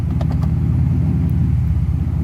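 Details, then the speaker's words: Mercedes SL600 V12 on the lift after transmission install, fluid only partly filled, exhaust and oxygen sensors off: loud open-exhaust rumble with a soft thump as drive engages, then neutral and reverse; very smooth engagement, no harsh clunk. "that's engagement in drive, that's neutral, that was engagement in reverse. Very smooth actually."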